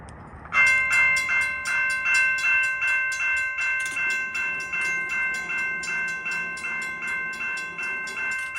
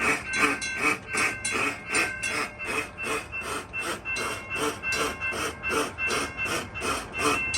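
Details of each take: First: Railroad crossing signals tested after repairing the Model 3590 gate mechanism: clear bell rings steadily at about two and a half strikes per second, evenly spaced, no gaps; signal working normally. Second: Railroad crossing gate hold clear device malfunction: a steady ringing clank repeating about two and a half times a second. The fault can damage the mechanism and sets the other signal going crazy.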